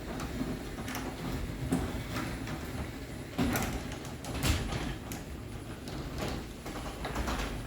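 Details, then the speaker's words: Genie Excelerator opener on a small sectional door, after power reset and the first slower limit-learning cycle, now running faster; quiet run with light uneven click or catch every second or so over rail rattle, not actually catching; normal operation. "now it knows the limits so it's going to be a little smoother it's going to go a little bit faster"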